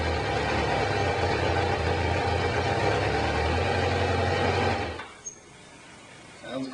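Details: Kawasaki Concours ZG1000 after valve adjustment, new spark plugs, carb hoses reconnected: steady, even idle with smooth low hum and no knocks or ticks until shut off; normal idle.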